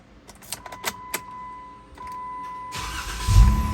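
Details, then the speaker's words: Jeep after replacing starter, relay and starter wire pigtail, battery fully charged: clicks, one short crank, engine catches straight away and runs steadily; hard-start problem fixed. "first crank I'm going to call that a victory so victory is [Music] mine"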